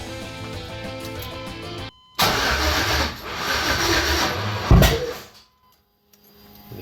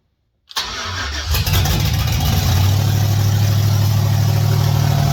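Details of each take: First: 1989 Chevy S10 Blazer with 2000 Silverado 5.3L LS (stage 3 cam) and NV3500, first start attempt with 58 psi fuel, spark and injector pulse confirmed: cranks about three seconds, one loud bang, cranking stops; same with new harness, owner suspects the replacement crank sensor. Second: 1989 Chevy S10 Blazer with 2000 Silverado 5.3L LS, Stage 3 cam, LS1 intake, 58 psi fuel pressure, first start: quick crank, catches at once, steady even idle with no misses or knocks, hitting on all eight.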